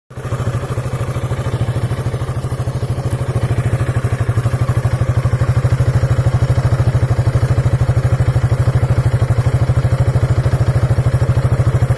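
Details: 2003 Piaggio Beverly 500ie single-cylinder idling unevenly with popping beats and near stalling: a misfire. Throttle body, cylinder head, fuel pump, water temperature sensor, plug, coil and relays were replaced with no effect; replacing the ECU fixed it.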